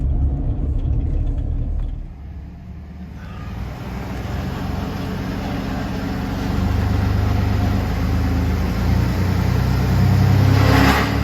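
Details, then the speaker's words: Car at slow speed: a low rumble with a few sharp metallic rattles from underneath, heard in the back seat. The cause was an exhaust pipe joint that was tight but misaligned; it was fixed by realigning it. "we got that little rattle noise fix the exhaust pipe where it goes together right there was misaligned a little bit and it was causing it to rattle it was tight but it just wasn't lined up"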